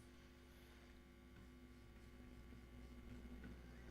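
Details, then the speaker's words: Telefunken Operette 8 tube radio during restoration, running near full 218–220 V with long-wire antenna: low steady mains hum with faint hiss, FM station barely audible; oscillator appears to work, owner suspects a tube fault. "so we have a problem with the FM it's not as bad a problem as I had before because you do pick up something barely which isn't a bad sign at least there's something"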